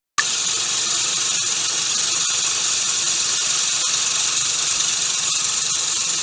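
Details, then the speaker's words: Gardena manual push reel mower being backlapped, reel spun backwards by drill with 120-grit lapping compound after bed knife adjustment: steady, even gritty hiss, no single blade knocking once per turn; lapping evenly. "so as it turns you can hear it's pretty pretty smooth even turn you don't hear one of the blades knocking and the rest being smooth it sounds good"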